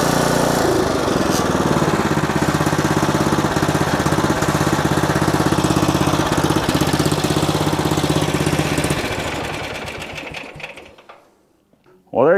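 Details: Old riding mower after fitting cheap Chinese knockoff carburetor and tightening a loose leaking fitting; small single-cylinder runs steady and even at a fast putter, no surging or misses, then winds down; running normally.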